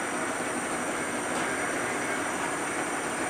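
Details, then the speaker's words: 1940s horizontal milling machine driven by a treadmill motor replacing the original three-phase motor, automatic table power feed engaged: steady, even mechanical whine with a smooth high hum, no knocks or grinding; table feed running normally. "this right here is for the table if you have it this way the table will feed this way this engages it see the handle moving now completely automatic"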